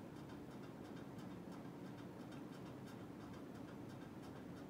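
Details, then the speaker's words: NuTone Hug-The-Ceiling 52-inch hugger ceiling fan with spotlight kit, mounted on a wooden beam, on high speed: a quiet steady hum with rapid light ticking on top; unclear whether it made this noise before the spotlight kit was fitted, origin unknown. "don't remember if it was making this noise on the high street when i tested it without to like it i have to look back into the video of it and check"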